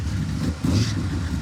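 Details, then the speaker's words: Junkyard 1957 Chevy that sat four decades, fuel now run from a used fuel cell in the trunk because the factory tank was rusty: the engine bogs and surges roughly under throttle. Fuel starvation is suspected, possibly a bad tank pickup. "I don't think there's any fuel in it I'm a little confused at this point"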